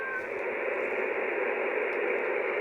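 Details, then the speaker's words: HamGeek CB/ham radio on receive: a constant loud hiss fills the speaker with no break. The receiver noise floor is higher than normal, and the owner suspects nearby lights are causing it. "Yeah, but that noise level is not what I have normally. Maybe this is because of the lights."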